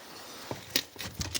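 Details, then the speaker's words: Karcher cleaning machine engine, stopped, crankshaft rocked by hand: sharp metallic clacks from a failed crankshaft main bearing with play; the coaxial seal has also started to fail. "Я хочу показати, що ее дійсно підшипник колінвала оцей от посипався. Ну і тут сальник, звісно, почав, бо воно соосно."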